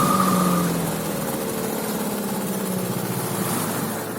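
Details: Hangkai 9.8 outboard fitted with an 8.5x9 propeller: busy drone with a thin steady whistle on top, sounding like over-revving. Owner suspects the propeller; cause not confirmed.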